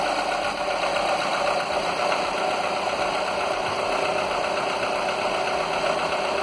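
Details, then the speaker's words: Skoda (probably Fabia) 1.4 16V BKY petrol after piston swap with used pistons for piston slap: smooth, even engine hum with steady buzzy tone, no distinct tapping; earlier slight knock faded, engine now quiet and healthy. "No już praktycznie nie słychać, już wyciszył się silnik. Mruczy jak pszczółka."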